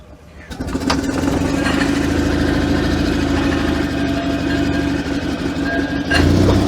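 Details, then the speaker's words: Invacar single-cylinder, first start in a long time after a new throttle cable, jump-started because the battery shows 10 volts: weak crank catches, then an even putter settles into idle with no knocks or misses; normal start and idle, throttle slightly sticky. "Oh, she's in gear. Oh, that's the sound I've missed. We'll let her warm up for a bit."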